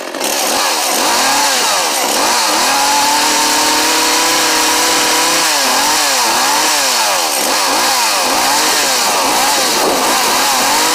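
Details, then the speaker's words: Echo CS-400 chainsaw after new carburetor kit and fuel lines; high-speed screw turned a quarter turn counterclockwise. Ragged, irregular surges, pitch dipping and recovering; bogs even more, mixture adjustment suspected, later corrected a quarter turn clockwise. "sounds like the high speed might need a little bit of an adjustment okay i started the saw and i turned the high speed counterclockwise about a quarter of a turn and it started to bog even more"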